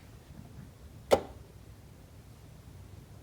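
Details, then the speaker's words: BMW E60 DMTL tank-leak pump module in the rear passenger wheel well, valve triggered by diagnostic tool, camera beside it: one sharp single click over faint hiss, normal actuation, though the unit is still faulty and replaced. "So now I'm going to trigger the DMTL valve and it's just going to be one single click."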